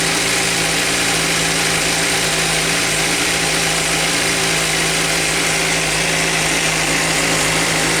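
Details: Suzuki GSR 600 four-cylinder at steady idle with a fast, light metallic tick; owner suspects the cam chain tensioner or valve shim clearance, or normal Suzuki noise, not confirmed.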